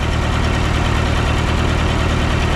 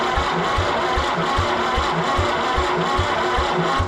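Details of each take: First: Massey Harris 30 tractor after the oil was burned out of its cylinders: low even idle with a steady beat and no skips or knocks; running smoothly, though the fuel sediment bowl is leaking gas. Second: Recently auction-bought Massey Harris 30 tractor cranking with spark: lopsided compression beats with gaps; cylinders 2 and 3 do nothing because of stuck valves.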